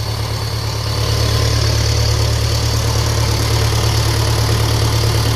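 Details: 1957 Ferguson FE35 TVO tractor, first run after fuel tank repair, tick-over not yet adjusted: steady low idle with a light whine off something.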